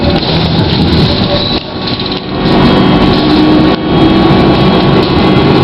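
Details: Ride aboard a GT6M tram, no. 214; under rumbling ride noise an odd wavering motor hum comes and goes, heard mainly at the start; unusual traction motor noise.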